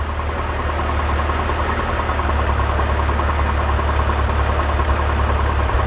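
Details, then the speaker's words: BMW E46 330i/325i idling with the valve cover to oil separator tube disconnected: rough, uneven stumbling idle, a large vacuum leak causing misfire, fuel trims rising. "you can now hear that's a large vacuum leak the engine's missing"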